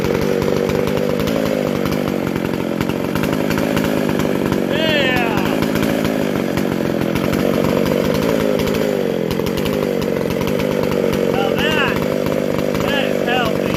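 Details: Vintage McCulloch SP125 two-stroke chainsaw with 36 inch bar, after fixing a large carb-to-intake gap and loose throttle linkage; high crisp scream held steady, answering the throttle cleanly without bogging; normal revving, fine tuning still to do.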